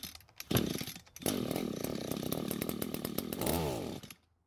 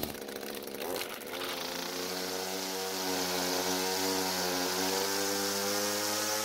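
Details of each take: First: Echo GT200R string trimmer, two-stroke: starts fully choked, buzzes unevenly about three seconds and dies off choke; running lean, engine wants more fuel, needs carb low-speed (L) screw richening. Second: Echo GT200R two-stroke trimmer after the L screw was adjusted and the drive shaft was repositioned to engage: a high, buzzy note holds a steady, even speed, then winds down cleanly. The H screw was already correct, and it now runs normally.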